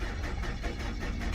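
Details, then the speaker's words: 2003 Nissan Altima 2.5 L four-cylinder auction car cranked on a jump box with no battery fitted: steady cranking with an uneven, lumpy rhythm and no firing; crank no start, cause unclear. "well the first thing that i don't like is how the engine sound when you crank and not start"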